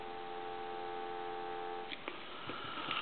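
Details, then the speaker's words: Repaired and converted A&E 3-slot chrome payphone, final checkout with the body locked on, handset lifted: steady, even two-note hum for about two seconds, then handset clicks and handling; a clean, normal dial tone. "Now I want to show you something real quick. I'll take the handset, and you can hear dial"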